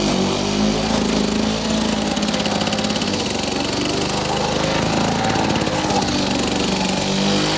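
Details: Victa two-stroke lawn mower rebuilt from two parts mowers, test run after rebuild; crisp fast buzz at steady speed with even firing, no misses or surging; engine runs cleanly.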